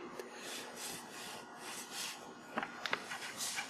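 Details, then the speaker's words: Track N Go track disassembly, wheel spun by hand to check bearing: soft, even rubbing hiss with a few light clicks from wheels against plastic guides, bearing smooth with no play; normal wheel rubbing on guides. "c'est normal aussi que on entende le frottement entre les roues et les les fileur de plastique ça c'est un bruit qui est normal aussi"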